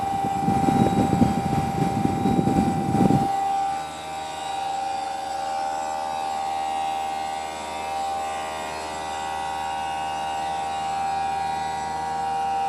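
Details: Newly installed Greenspeed heat pump running: after early rumble, a steady loud high-pitched tonal hum holds evenly; much noisier than a quiet unit should be.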